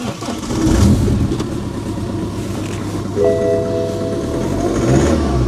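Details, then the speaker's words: BMW 118d E87 diesel, stone cold on a very cold day, before glow plug module replacement (codes 4A6E, 4A5E, 4690): cranks and catches roughly, juddering and missing for the first seconds; failed glow plug control module. "It's a really cold day, the engine was stone cold. We had that initial, I'll show you the video of it previously where it was missing."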